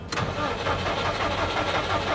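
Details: Subaru WRX with JDM EJ20 engine from a parts car, test spark plug fitted: steady fast starter churning, never catches; cranks but won't start, no spark.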